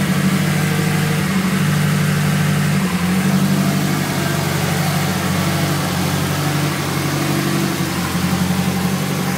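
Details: Idle after an exhaust leak repair: steady, even idle with a low, smooth exhaust note and no ticking or puffing from a leak.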